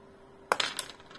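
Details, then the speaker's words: Repaired Bob Beck protocol magnetic pulser (230 V mains, resoldered power board), paddle held above a screwdriver: faint fan hum, then a sharp pop followed quickly by two crisp relay clicks; the pulser fires a strong pulse properly. "Și acum a dat un impuls, dar vorbeam eu. O să auziți că face un poc și se aude și releul."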